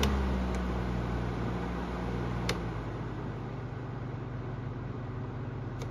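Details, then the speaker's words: Amazon Basics F26-16A air circulator floor fan on low speed: soft steady hum, smooth whoosh, no rattle or buzzing; quiet, none of the high-speed vibration, air carries a good distance. "low speed is quiet you don't have that obnoxious vibration sound and it moves air in a way where you could tell it carries a pretty good distance too"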